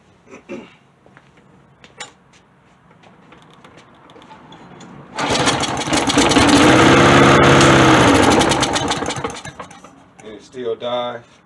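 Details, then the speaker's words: Found lawn mower, fuel flow confirmed with no blockage, primed and on low choke: it catches, surges for about four seconds, then fades and dies. Stalling after start; carburetor to be removed and thoroughly cleaned. "so now i have to take the carb off and do a thorough cleaning of the car"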